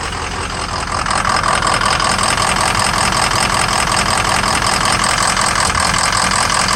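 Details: 2003 Ford Excursion 6.0 diesel V8 at idle: uneven, stumbling rhythm with a small blue exhaust puff at each stumble. Injector #5 shows low voltage and poor cylinder balance/contribution; FICM voltage is good. Suspected weak injector.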